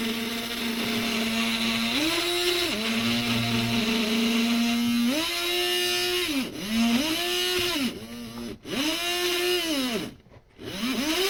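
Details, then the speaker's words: HO-scale model monorail, very stiff, attempting a full circuit: small electric whine repeatedly sags and recovers in pitch every few seconds as it labours round the track; motor straining, later shuts off. "all right now let's try let's see if it'll complete a circuit man this thing is so stiff"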